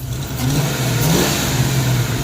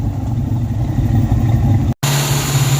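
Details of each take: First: 1994 Mustang GT convertible on jumper cables, after adjusting the throttle body idle: a quick throttle blip climbs smoothly and drops back to a steady idle without stumbling or popping; clean free rev. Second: 1994 Mustang GT convertible idling at about 1,800 rpm on its own. With timing set at 10° and the timing chip reinstalled, the idle shot back up. A constant fast drone that never settles. A vacuum leak is suspected but not found; the throttle body idle setting is misadjusted.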